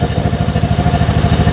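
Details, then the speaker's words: John Deere riding mower, Kohler Command engine, after carburetor replacement for a no-start from a stuck anti-backfire solenoid and bad gas: smooth, even thumping idle with no stumbles, a healthy idle, though it surges slightly at higher speed. "Now we're talking. Listen to that thing purr."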